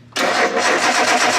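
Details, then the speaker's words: Nissan R33 Skyline with swapped RB25 engine, first start attempt; brief steady cranking whirr that never fires despite correct settings entered; owner suspects a damaged cam angle sensor: crank, no start. "nope oh i know very anticlimactic i tried i inputted all the correct settings we just tried probably six times off camera and uh it's not working"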